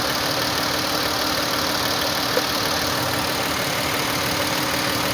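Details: 2011 Chrysler 200 3.6L V6 after alternator and starter replacement and a one-click no-start, running with a wire run to the alternator as a quick fix, battery light off; steady, even idle hum with no knocks, misses or surging; normal idle.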